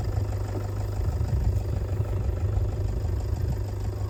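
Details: Ford tractor diesel, which had revved and died and then would not bleed, now idling. Steady low clatter, even and unbroken, no misses or hunting; normal idle.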